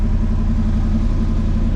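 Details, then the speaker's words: 1979 Ford F150 after a tune-up with plug wires done (plugs found only hand tight), idled a few minutes: lumpy, uneven low rumble that never smooths out; still running poorly, cause not pinned down. "all right well it's idled here for a few minutes still running pretty bad"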